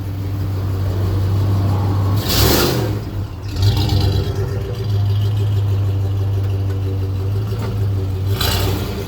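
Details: Rusty 1997 Ford F-150, nearly 170,000 miles, hard acceleration: deep steady drone with faint clatter under load; worn original rear U-joint is the culprit.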